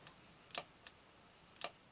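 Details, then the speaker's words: Old quadraphonic 8-track player on a bench power supply, around 12 volts with current limit near one amp, pressing program/track change: faint thin weak clicks as the solenoid triggers without enough force; supply hitting its current limit. "Oh, the the uh solenoid is triggering but there's not enough oomph so are we hitting the current limit?"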